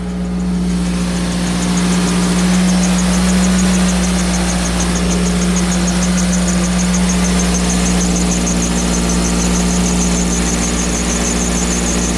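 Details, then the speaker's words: 2000 Toyota Celica after replacing a stuck-open thermostat: cold start with heater on. A steady high squeal holds over an even idle, owner wonders if it is the water pump, then it quiets down. "is that the water pump making that noise still cold"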